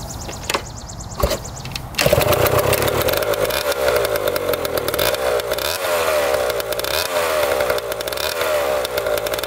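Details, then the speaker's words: 1994 Honda CR125 two-stroke after the coolant-leaking cylinder/head was properly repaired and premix added: it catches after handling knocks and buzzes raggedly but runs steadily on first start. Lots of old crankcase oil is burning off, a good sign. "burning off all that old oil lots of oil probably in the crank case yet see it's burning off all doing good though that's a good sign"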